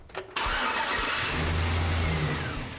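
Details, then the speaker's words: Engine started after the negative battery cable was reconnected. A brief crank, then it catches at once and runs clean and even, with a rising intake rush from the cold air intake; a healthy start. "it sounds great and I never get tired of that era cool air intake when it's suck it in the air it's a great sound"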